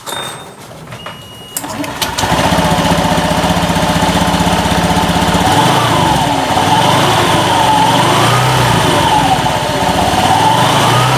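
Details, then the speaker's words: 2016 Honda Beat scooter at idle, CVT already fitted with new roller housing and fan: rough, rattling grind from the belt drive; a missing pulley clip lets parts rub. "masih ada Hai kasar gitu ya Bang ya Ah kasar kata si Abangnya kasar Nah sekarang kita cek dulu untuk penyebab kasarnya ini dari mana ya"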